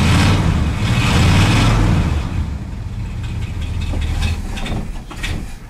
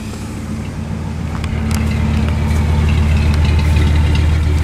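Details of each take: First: Ford wrecker V8 just retrofitted with a Chevy HEI distributor: it fires up and revs, then settles into a lumpy, uneven idle around three beats a second; ignition timing possibly a little low. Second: Ford wrecker V8 with Chevy HEI distributor replacing the Duraspark ignition, which used to pop and crack around 2,000 rpm under throttle: deep rumble revving smoothly and evenly with no popping, now running well.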